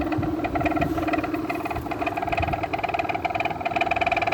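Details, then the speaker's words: 2000 Whirlpool air conditioner, neglected about two years on a porch, Tecumseh compressor: fan spins up with a steady hum carrying a dry rattle and light ticking from worn fan motor bearings, though airflow is good. "yeah these bearings are not are not in the best of condition quite delicious i have to say on his viner on his vintage units bearing noise is not is a lot worse compared to shot bearings on a modern unit"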